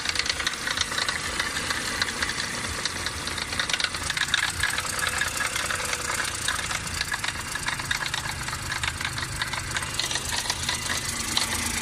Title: BMW f20 118i 3 cyl. strange noise dziwny dźwięk silnika